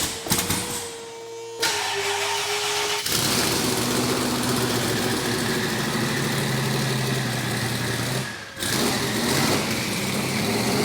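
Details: Holden VK Calais, start after the correct pushrods were fitted and the cooling system bled: cranks, catches after about a second, then settles into a steady, even idle with a strong low rumble and no misses or knocks, healthy running.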